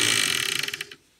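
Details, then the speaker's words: Clatronic KM2718 1000 W stand mixer, belt intact: high motor whirr with rapid ticking that slows and cuts out as the belt rides up off the motor sprocket; fixed by fitting a larger metal disc over the sprocket. "मेरे साथ देखो जब machine चल रही हो, belt ऊपर जा रही हो।"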